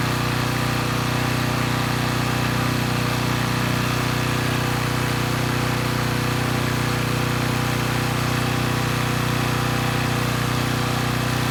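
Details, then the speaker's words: Coleman Powermate Pulse 1850 generator (PM0401850, 1996 engine 93412-0136-01) after carburetor repair, unloaded in driveway; steady even hum, no surging or stumbling, normal running; a fuel drip suggests the needle may pass extra fuel. "so let's say the carburetor issues are sorted out the engine's running pretty well"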